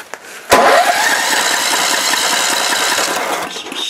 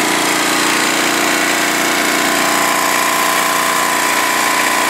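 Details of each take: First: Warm Snapper mower engine: pull-start whirr, then a few seconds of rhythmic cranking chuffs that never catch; still seems to need choke to start when warm, cause unknown. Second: Snapper mower, engine warm, running at a steady even speed with no misses, knocks or surging after being fixed up; healthy, though it still needs choke to start when warm.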